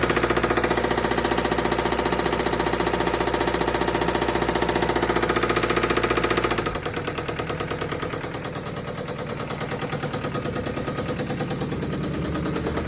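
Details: Isuzu 4JB1 diesel engine idling with a loud, regular hammering knock at nearly four beats a second, easing slightly when the engine note drops; source unknown.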